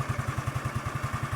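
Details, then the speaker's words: Suzuki Lets scooter fitted with a Suzuki Access CDI wired direct to the starter: fast, even clatter about ten hits a second over the running engine as the starter gear engages while already turning; starter gear grinding. "ഇങ്ങനെ വണ്ടി സ്റ്റാർട്ടിങ്ങിലാണെങ്കിൽ നമ്മൾ സെൽഫിൽ നോക്കുവാണെങ്കിൽ ഉണ്ടോ അങ്ങനെ സൗണ്ടുകളൊക്കെ ഉണ്ട്. അതായത് self നമ്മൾ direct കൊടുക്കരുത്."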